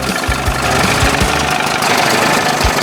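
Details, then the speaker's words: 1981 Evinrude 20 hp two-stroke outboard that ran cold, after powerhead flush and new thermostat and gasket, warm and steaming: busy, even buzz at steady speed with few soft thumps; running clean, best it has run. "Sounds good. That's the best she's done so far."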